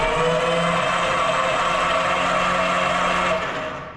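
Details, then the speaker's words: Aero Commander 680 FLP with 800 hp executive conversion engines, 120-hour engines, sat 20 years, cranked with plugs out for oil pressure: steady even starter drone, both engines turning over freely; normal cranking. "That should be good. We got both engines turning over."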